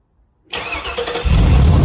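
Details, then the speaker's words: LS engine in a '55 Chevy truck, first-ever start with simplified two-wire harness: silence, short crank, then catches quickly into a strong, even idle with idle coming down, no misses or stumbling. "Oh yeah, baby. Idle's already coming down. I'm loving it. Hell yeah."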